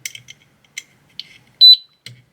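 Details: Air conditioner indoor control board powered on after testing its simple single-primary, single-secondary transformer, unit previously dead: faint clicks then a single short high beep; board powering up normally.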